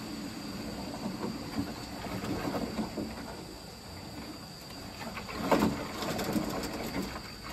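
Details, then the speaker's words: Vaillant boiler overheating on hot water only: faint irregular gritty crackles and taps over a quiet hiss, like rocks going through the heat exchanger, from a dirty system with a blocked filter or plate heat exchanger. "so you can hear the system sounds quite dirty because it sounds like there's rocks going through the heat exchanger"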